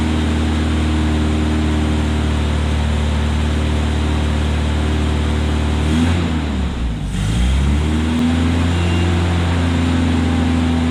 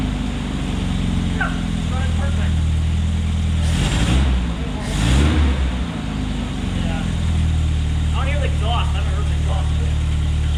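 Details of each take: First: 1972 Opel GT revived after decades sitting, carburetor choke possibly weak, just started: low drone sags and stumbles then recovers; vacuum leaks found at the carburetor base gasket. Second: 1972 Opel GT after readjusting timing: steady low idle near 1100 rpm with a couple of brief swells, no stumbling or hunting; normal idle.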